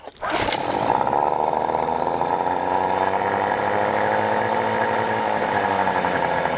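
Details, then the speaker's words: New Hangkai 18hp two-stroke outboard running, just started and not hot, with the telltale streaming water: it starts instantly into a steady, even burble with no misses or knocks. Normal idle. "It's not too hot. Shouldn't be. It's just started up."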